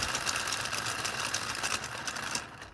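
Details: Small 3D-printed "Telboy" solenoid motor on a JL94 circuit at 30 V, which the owner thinks is meant for bigger coils. Quick light clattering ticks run only after a strong spin; the circuit is not overheating, but the motor is coming apart.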